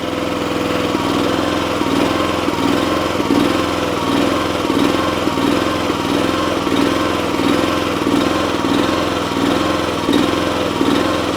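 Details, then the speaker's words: Eastonmade 9-16 wood splitter's Honda engine runs smooth at full throttle but surges up and down as throttled toward idle; owner suspects a clogged pilot jet, to be cleared with carburetor left on the machine. "When it's running full throttle, it actually seems to be running pretty smooth, but as you turn it down, it starts that surging back and forth."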